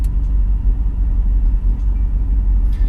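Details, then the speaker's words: BMW E46 at idle after installing Revshift 95A polyurethane engine and transmission mounts: soft, even low rumble with slightly more vibration, no knocks or shakes; normal idle. "it's actually not bad there's like you can hear the engine rumbling a little bit listen really close to hear the engine rumbling"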